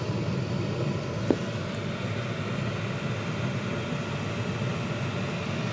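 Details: Chinese diesel heater in greenhouse, working after two replacement fuel pumps: steady low roar of combustion and blower, no surging or misfire pops, no exhaust smoke, blowing hot air; burning cleanly, normal running.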